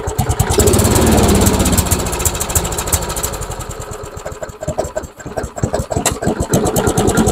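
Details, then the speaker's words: MTD Yard Machines mower, single-cylinder engine with new carburetor, old plug oil-fouled, test plug fitted: runs unevenly, stumbling and surging, refuses to die; plug ruled out, owner suspects fuel starvation from clogged carburetor main jet. "it doesn't want to die it's ising at least it's ising I wonder if it's just not getting enough fuel I wonder if it's just simply not getting enough fuel maybe the main jet is clogged"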